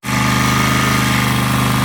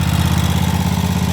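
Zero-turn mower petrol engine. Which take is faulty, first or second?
second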